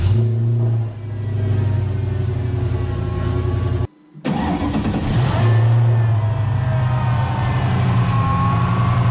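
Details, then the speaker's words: Mercedes-Benz AMG SL55 V8 warm idle after startup with stock blower pulley (before 77mm pulley swap): strong deep idle, brief blip, then steady faint supercharger whine, nothing excessive; normal blower sound. "As you can see, when it warmed up a little bit, you can hear a little whine, but nothing too much."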